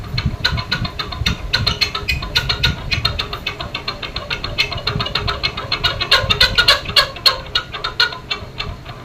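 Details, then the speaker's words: Noisy ceiling fan before disassembly: rapid, uneven clicking rattle about three to four times a second over the motor hum, a harsh noise suggesting a dry, binding lower bearing. "ये देखिए इस प्रकार से भयानक आवाज आती है।"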